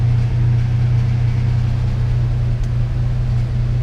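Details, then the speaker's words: 1998 Ford Ranger 3.0 (swapped engine) with rough high idle, 1200 rpm vs commanded 800 with idle air solenoid fully closed; steady fast-idle drone, extra air still getting in; smoke test found no leak, PCV and computer swap didn't help. "so RPM is at 1200 and the desired as a nine well dropping on down to 8 800 now as desired we're still way above 1200 and something so we're we're 500 RPM above what the the uh computer is commanding and that is because the idle air solenoid is already closed all the way off and it's still pulling air"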